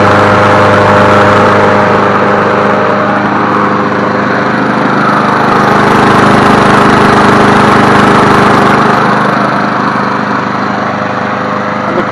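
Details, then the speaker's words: Craftsman 22-inch push mower, model 917.385320, running; a smooth, steady buzz at even pitch with no surging or misfire and the pull cord not shaking. Normal running. "cord's not shaking either. That's a good sign. Man, she sounds good."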